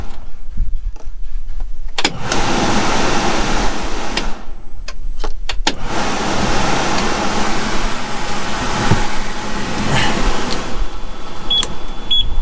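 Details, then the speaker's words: International 9900i cab blower after blower motor and squirrel cage replacement: steady airy rush stepping cleanly between speeds, no rattle or scrape; blower and resistor working normally. "speeds are working that means the blower motor resistor resistor's working"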